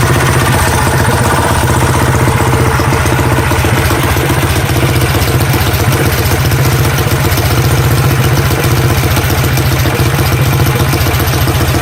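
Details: Coleman CT100U minibike with Predator 212 Hemi, just fitted with 18 lb valve springs and fresh oil: fast, even single-cylinder putter about four firings a second, no ticking or knocking; normal running.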